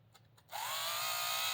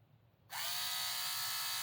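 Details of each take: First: Un-shimmed HO Viper slot car rear end: a high, buzzy whine climbs as the motor spins up, with a coarse rasp over it; sloppy gear mesh from the loose rear end. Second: HO slot car (Viper) with a balanced armature, run with the body on, gives a high, steady whine with no wobble or rattle; it winds out better, a smooth, well-balanced motor.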